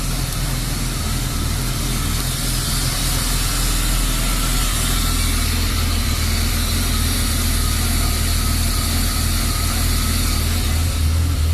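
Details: BMW E36 325i: low, uneven idle with a lumpy, wandering beat around three a second; MAF and throttle position sensor replaced and idle valve cleaned without success; rough idle fixed by replacing the lambda (oxygen) sensor.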